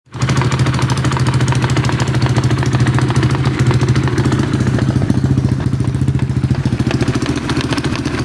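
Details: Атлет 300 motorcycle, 172FMM engine at idle: deep, lumpy idle with a rapid regular knock about three times a second; the oil centrifuge has come loose and broken apart, oil channel undamaged.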